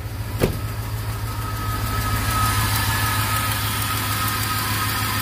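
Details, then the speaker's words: Silverado first start after over six months without running: steady idle with light quick ticking about three per second on the rumble, an exhaust leak rather than lifter tick; exhaust needs repair. "not a tick that's an exhaust leak I need to get my exhaust done"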